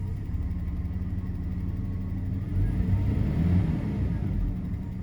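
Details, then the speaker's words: Daimler (Jaguar) XJ40 that stalled, idling rough and misfiring, juddery and shaky, with stumbles and brief surges; dies on throttle, owner suspects fuel starvation. "Okay, and now it's missing there a little bit. The way it's running right now, this is exactly how it felt when I was going up the hill. It was juddery and sort of shaky."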